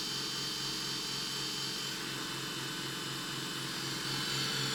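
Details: Brand-new Roborock S6 Pure robot vacuum, about two weeks old, loud since first setup: loud high whirring with a quick steady pulsing, about four a second, from the running motors; abnormal noise, cause unknown.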